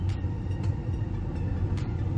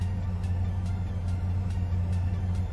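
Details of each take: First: Ford Ranger after cleaning the idle air sensor: deep, steady idle rumble sitting above its usual 750 rpm while the computer relearns and trims fuel, smoother than the earlier rough idle. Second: Ford Ranger during rebuild, after cleaning the idle air sensor, AC off, computer re-trimming fuel with slightly higher idle: steady even rumble with faint light tick about twice a second, earlier rough idle gone; smooth idle.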